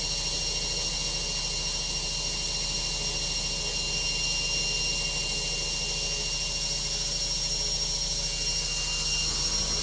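Loud steady high-speed spin with a hissing roar and a fast throbbing rumble underneath; the spin is noisier than it should be.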